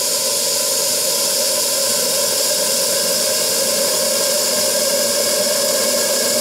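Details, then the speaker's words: Restored RC steam boiler, dormant over 20 years, after stiffening the regulator spring with a second spring and sealing the gas-regulator steam leak with Teflon tape. Steam is opened and a steady, even hiss with no sputter is heard: pressure holds, normal flow. "non que vous voyez que ça fonctionne vous l'entendez il arrive à se maintenir à maintenir les zonards"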